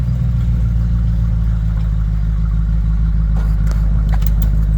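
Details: Bombardier tracked snow vehicle, first run after six months idle and shop repairs: engine idles at 800-900 rpm with a deep, steady even low beat and no knocks or misses; no leaks, runs cleanly.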